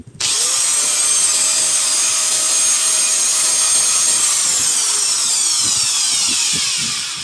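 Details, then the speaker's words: Angle grinder after replacing its worn, loose armature bearing that made it very noisy; now spins up to a clean steady high whine with no rattle or growl, winding down smoothly. "Ngayon, subukan na natin yung kaninang ayaw gumana bearing ang problema, napakaingay. Ngayon, tignan natin."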